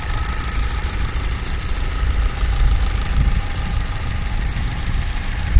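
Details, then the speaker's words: Opel Corsa D 1.4 16V Z14XEP TwinPort after timing chain kit replacement, running on petrol at idle: light quick ticking over a low hum is the injectors, no timing chain noise; injectors louder when revved. "Vous on n'entend pas du tout le timing, on n'entend que les injecteurs"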